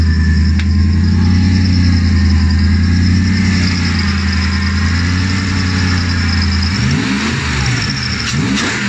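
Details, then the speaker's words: BMW M60B44 4.4 L V8 hybrid engine build, freshly completed with fluids in and the crankcase breather venting to atmosphere: a deep, steady idle, then clean rising and falling revs with no knocks, rattles or misses; running healthy. "final video of the day all the front ends back on we've got fluids it makes a good noise"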